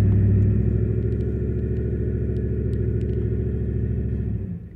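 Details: 2012 Dodge Ram 5.7 Hemi, about 39,000 miles, parked and held at raised revs: lumpy uneven beat then dropping back; scanner shows misfires mainly cylinder 3, with intermittent 1 and 5.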